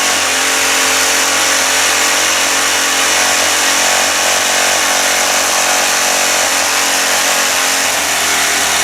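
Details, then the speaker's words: Pressure washer small petrol engine after finding throttle linkage caught: harsh, loud buzz at steady high speed; owner suspects low oil, pump also questioned, and a cylinder head bolt was found stripped out. "son are really loud huh it almost seems like it's not it doesn't have enough Earl you know"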